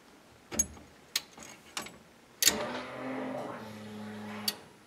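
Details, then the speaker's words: 1973 Chevrolet C10 with LS swap, temporary ECU wiring, key-on before first start: several relay clicks, steady low hum about two seconds ending with a click; normal fuel pump prime. "So let's just see what happens if we turn the key on. The fuel pump should prime."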